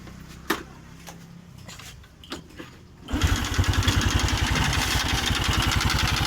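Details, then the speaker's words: Honda Revo Absolute 110 carburetor engine, rough noise from block area with white smoke: after clicks it starts into a rough rapid clatter about four per second, worse when revved; mechanic diagnoses scored piston and worn cylinder bore. "untuk analisa yang pertama itu pada bagian pistonnya pasti dia baret Iya bunyinya meletek gunung peneliti tapi ke meletek ketika digas disini"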